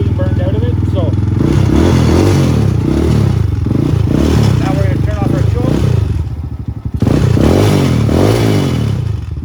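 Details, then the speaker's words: Venom motorcycle out of storage, warmed up on choke with feathered throttle, idling on kickstand: low steady putter with even firing and small dips, no knocking or missing; normal warm idle. "our bike is nice and warmed up. So now we can put our kickstand down, just let it sit and idle."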